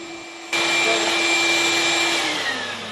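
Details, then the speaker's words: Vacuum on a 24 V, 10-battery solar off-grid bank, 25.5 V and 11 A coming in; sharp rise to a steady, strong high whooshing motor tone; running normally. "You can hear the motor running backward, right back there, and it's 25.5 volts, 11 amps coming in."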